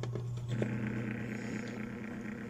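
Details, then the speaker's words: Dowell electric fan motor before repair: low steady hum with a loose buzzing rattle, because the thrust washer on the shaft is worn away, leaving large end-play clearance; bushings and shaft still good. "So ang problema lang dito guys, yung washer, napudpud na yung washer, na wala na, kasi tingnan nyo ang clearance niya, malaking clearance na oh. Kaya siya maingay."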